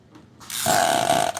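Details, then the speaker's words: Sprayer engine pull-started gives a short hissing, whistly puff, a strange sound. "Hah? Aneh ya. Is kok bisa gini bunyinya? Aneh kok aneh suaranya."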